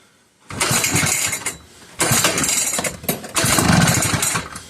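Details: McCulloch 1-52 chainsaw in vise, spark confirmed, fuel just added: three ragged bursts per pull, uneven popping that briefly catches then dies between pulls; engine trying to fire but won't run.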